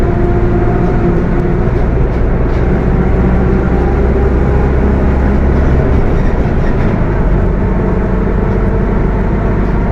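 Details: Mercedes-Benz OF 1721 BTC 5 bus (Apache Vip IV body) under way: heavy low droning roar with a rough growl riding over engine and road noise; transmission growling loudly, pointing to a noisy gearbox.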